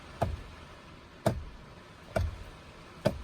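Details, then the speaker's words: Toyota Tundra turn signal stalk after dealer replaced the combination switch (old one made headlights flicker or go out with auto lights on): four crisp, firm clicks about a second apart, more positive than the old switch; normal. "You can, it's more positive. You can hear it click. My other one did not do that as much."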